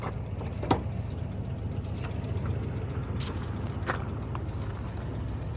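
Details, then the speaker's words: 1979 Buick that sat over 20 years, now running after a new fuel pump, new battery and a drained tank. It still needs brakes, a tune-up and a carb rebuild. It gives a low, even burble with a few light clicks, idling smoothly. "listen to it it's sitting here running and idling after a day of work and you could probably take this car and drive it"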